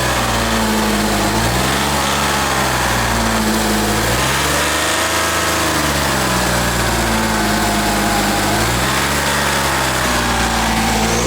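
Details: Audi Quattro 2.5 TDI on jacks, heard from underneath near the intercoolers: diesel revved up and down repeatedly with a steady hissing rush over it, a boost leak in the intercooler pipework, a suspected burst pipe; new parts ordered.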